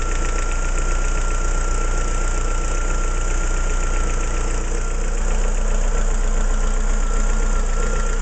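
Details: Opel C16XE engine at idle: steady idle with a loose, uneven tapping at roughly three beats a second over a deep hum; source unclear; engine knocking noise.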